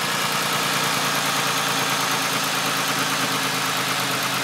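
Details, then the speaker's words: Engine just rebuilt, first start with no coolant circuit, run two minutes max, smoking from oil in the cylinders: idle with sharp raspy puffing ticks in time with firing from an exhaust leak underneath, not yet finished. "on entend bien la fuite d'échappement en dessous parce que c'est pas encore vraiment finaliser à 100%"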